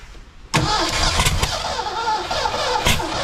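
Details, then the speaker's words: Rare 1982 McLaren Mustang sitting abandoned about 30 years: starter cranks with uneven chugging and a few sputters, but engine never catches; valves not stuck, all opening properly, yet it won't run. "oh man didn't look like it had any stuck valves they were all opening like they should I don't think it's going to do it"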